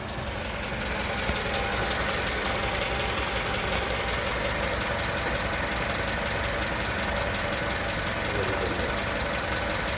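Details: 2010 Toyota Venza 4-cylinder idling right after AMSOIL engine flush and oil change: smooth, even idle with steady hum, no ticking, knocking or stumble; engine sounds healthy.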